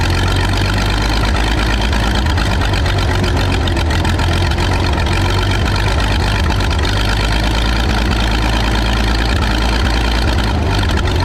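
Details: Michigan 35A wheel loader's old flathead, revived after sitting in weeds (broken spark plugs removed, compression restored, a cleaned connection made it run better): steady chugging idle, constant rhythm, no misses; running properly again.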